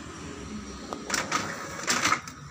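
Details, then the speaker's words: Epson L3150/L3110 printer, after an ink pad counter reset clears the blinking "ink pad at end of service life" error, running a test page: whirring and clicking as carriage and rollers move; printing normally again. "Oke, alhamdulillah sekarang printer sudah bisa ngeprint kembali."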